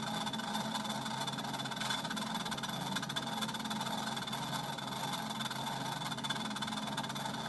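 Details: Treadmill after sitting unused, belt suddenly very tight and crooked: continuous whirring drone with rough gritty edge, no clear rhythm while belt runs; abnormal noise, cause unknown.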